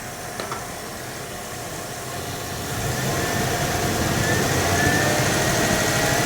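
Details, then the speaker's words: 1980 Dodge W200 Magnum 5.9L V8, Holley 600 cfm, idle and mixture set at about 19.5-20 in vacuum; builds smoothly louder into the secondaries with no stumble, mid-rpm bog gone, carb pulling cleanly. "idle that was getting into the secondaries and it seems to be doing all right"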